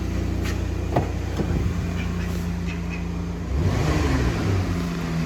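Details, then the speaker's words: 2013 Chrysler Town and Country van, after the exhaust leak at the resonator end was sealed: a steady low drone with a brief rev, no puffing or ticking, recorded on the ground. It is much quieter than before; the resonator may still be replaced later. "Let's see what it sounds like when it's on the ground now. Yeah, it's definitely a big improvement."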